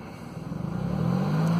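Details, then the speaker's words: 2003 Mercedes CLK (2.4 or 2.7 engine) with engine light after a loud bang, revved under throttle: uneven, stumbling exhaust pulse; scan tool shows bad misfire counts on cylinders 1, 2 and 3, plus a crank/cam correlation code. "You can hear it's rough. So there's the misfire counters, cylinders 1 and 3 and 2. They're all quite bad."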